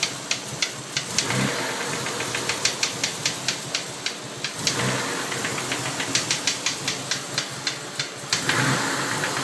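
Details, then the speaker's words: 1992 Mitsubishi 3000GT VR4 at warm idle after 8-9 minutes, after fuel filter and oil change: sharp metallic knocks about two a second, with black smoke; timing belt slightly loose, knock seems near cylinder 6 by the oil filler cap, source unconfirmed. "We developed a lot of smoke out the back when we started the knocking sound. It sounds to me like the knocking sound is back."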